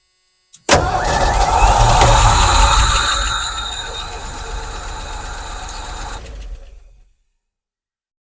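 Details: 1986 Ford F150 that sat for years, clutch in: steady starter churning about four turns a second that fades without catching; blown fuses found.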